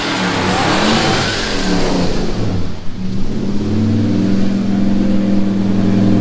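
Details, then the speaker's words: Ford 302 V8 after a very rough tune, idling better; owner suspects the distributor cap no longer walks, so the earlier backfiring has stopped. The revs blip, then settle into a steady, even burble without pops: normal idle. "Sounds better. Idle's better than it did. Fucking sounds nice. It's idling a lot better, so I suspect that the cap is no longer walking, so it's not backfiring like it used to."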